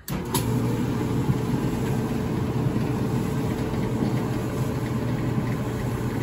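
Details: Whirlpool dryer after repair, belt back on: drum turning with a steady, even low rumble and no squeal, scrape or knock. Before, the belt was off, so the drum would not spin and the dryer squealed loudly.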